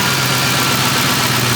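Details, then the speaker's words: 2010 Ford Expedition 5.4 Triton 3V, about 230,000 miles, after replacing timing chain, guides, cam phasers, oil pump and VCT solenoids: steady idle with light lifter ticking, no more timing chain slap; an exhaust leak remains. "sounds fantastic no more timing chain slap at startup no more timing noise whatsoever running idling"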